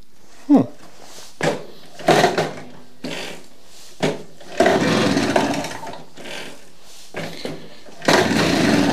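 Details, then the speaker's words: Vintage Motobecane Mobylette Cady moped, bought as non-runner, spark present but timing off, points cleaned: uneven bursts rising and dying with gaps, rough four-stroking under load, worse uphill; cause unclear. "Yeah, it actually runs. It doesn't run perfect. It seems to stumble a little bit, especially going uphill."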